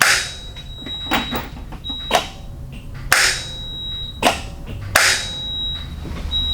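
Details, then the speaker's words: Peterbilt 379 after a new fuel shutoff solenoid was fitted (the old one had a worn, angled tip and the truck wouldn't shut off): sharp, distinct clicks each time the key is cycled; the solenoid pulls in and works normally. "so you can hear it clicking so it must be working"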